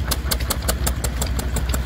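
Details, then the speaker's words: Small Ruston stationary engine just hand-started at a rally: crisp, evenly spaced exhaust beats about five and a half per second with a steady low thump; runs sweetly, normal running. "She's away. There we go, ain't she lovely? Just cut away all day like that, she will."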